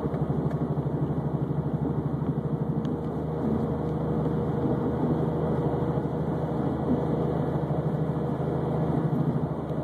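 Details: Subaru Baja at 151,000 miles while driving: a deep droning wawawa hum pulsing about three times a second, changing as weight shifts on the wheel, from a press-in wheel bearing with a flat spot on the race; wheel not loose.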